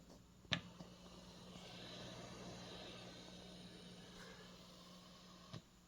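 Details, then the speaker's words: Roland JC-120 guitar amp at full volume, nothing played, effects off: steady low hum with soft hiss behind it, excessive self-noise for this amplifier. "if you're thinking about buying this amp there's something you might want to know first this is a rather noisy amp let's take a listen"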